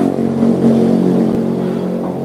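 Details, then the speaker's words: Yamaha Jupiter Z engine with very dirty oil. The mechanic says the sound is not bad yet, still normal. Small single revs rise and settle smoothly with a clean, even exhaust note and no knocking or rattling: normal rev. "cuma Moni cumaungti sih ini bunyinya belum seram Pak masih wajar lah lumprah"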